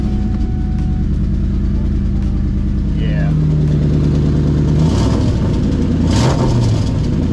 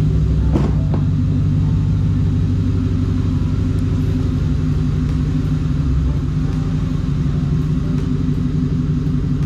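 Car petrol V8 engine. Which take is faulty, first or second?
first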